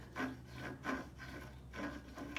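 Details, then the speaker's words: Chevrolet Suburban/Tahoe/Yukon (NBS) front driveshaft U-joint at the transfer case yoke, worked by hand: dry, gritty rasping bursts. Joint broken and leaking; needle bearings suspected flat-spotted from old grease, so they no longer roll. "it even looks like i think the plays coming from the needle bearings are flat spotted on one side probably from basically the grease just getting old and then not rolling anymore and then it spins without the needle bearing spinning you can hear it"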